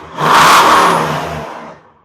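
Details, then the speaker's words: Warmed-up engine given a couple of throttle blips: revs climb smoothly and ease back evenly with no knocks or misses; healthy engine. "Ah, beautiful. I love it. I love it so much."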